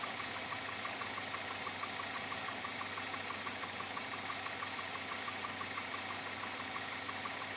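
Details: 2007 Chevrolet Avalanche, about 86,000 miles, at idle: steady light sharp knock about two per second over an even idle; owner unsure if engine knock or piston slap, persisting after four dealer visits.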